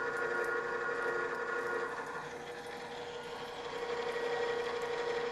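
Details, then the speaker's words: Drill press with transmission engaged, drill running at a very different speed: steady, even cutting hum with clean tone, no juddering; the speed change has eliminated the chatter. "now when we turn the machine on you can see a very big difference in the speed of the drill and this has eliminated the chatter"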